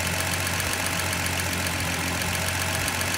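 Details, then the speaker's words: 1972 Datsun Cedric idling after two dirty spark plugs were removed and cleaned; shaking reduced, thermostat possibly not working. Steady mid-pitched idle, even pulse with slight unevenness left; normal idle. "Engine stopped shaking a bit. But sounds much better."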